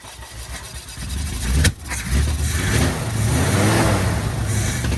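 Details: 1972 Chevy K10 4x4, 350 V8, sat 20+ years, fuel bowls refilled: cranks, fires, then runs uneven and surging, never settling into a clean idle; good oil pressure, owner suspects fuel delivery.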